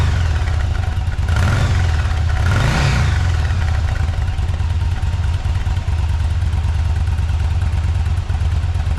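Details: Yamaha V Star V-twin motorcycle after service (oil change, exhaust refitted, AGM battery recharged): steady low beat with one quick throttle blip rising and falling cleanly; runs smooth and even, healthy.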